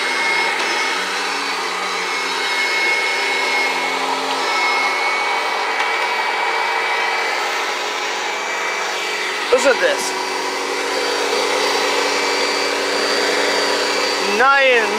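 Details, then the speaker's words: 1991 Kirby Generation 3 upright vacuum, run for the first time in quite a while: steady, even motor roar at constant pitch, no surging or rattling, sounds really good; motor running normally. "Sounds really good. Perfect."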